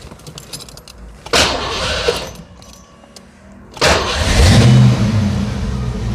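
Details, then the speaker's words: 1989 Ford Mustang LX 5.0 V8 after fuel filter change for fuel starvation (rusty gas in filter): cranks, fires quickly into strong steady rumble with a second blip; fuel pressure about 38. "Yep, fired right up. Not unusual for it to die sometimes right after starting."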